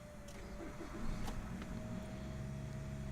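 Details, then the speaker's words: 2011 Nissan Rogue at 69,570 miles, pre-purchase inspection, started for the third time: quick even crank, then catches and settles to a steady idle with no starter grind or knocking; a decent, healthy start. "All right. So that was a decent startup."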